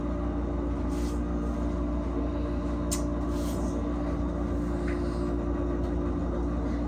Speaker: You guys, do you hear this loud fridge? It's supposed to be going away today. Finally. We're getting a new fridge today.